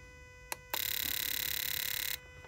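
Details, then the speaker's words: Suzuki Vitara four-injector fuel injector balance test: rapid high buzzing pulses for about 1.5 s as injectors fire, pressure dropping from 50 psi to 34 psi (16 psi drop); normal injector pulsing. "i'm gonna hit the button here you'll hear the injectors actually pulsing and you'll see the drop"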